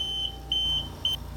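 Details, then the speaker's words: Homefill/Perfecto2 oxygen concentrator: quick high-pitched intermittent beeps over a low hum, the fast alarm signalling a flow problem such as kinked tubing, flow meter below 1 or above 5, or dirty filters. "so as you can hear it's a fast intermittent beep and that's the alarm that's going to indicate that you have some kind of flow issue"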